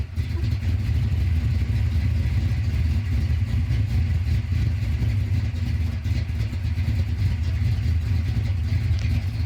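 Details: 332 stroker V8 in a Mustang at cold start idling with a deep, uneven, steady choppy lope, the normal sound of an aggressive camshaft.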